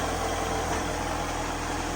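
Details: 2006 vehicle after a new serpentine belt and tensioner were installed: short, steady idle with an even hum and no belt squeal or chirp; accessory drive quiet and healthy.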